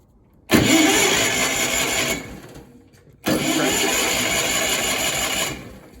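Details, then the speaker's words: A Miller Bobcat 225G welder/generator, unused for years, cranks on jumper cables and a spare battery after a new starter solenoid and new plugs. Two even two-second cranking bursts that never catch, because the fuel hose is deliberately pulled off. "Okay, now it's not going to start because I have the fuel hose pulled off cuz I don't want to get any old fuel in there for now."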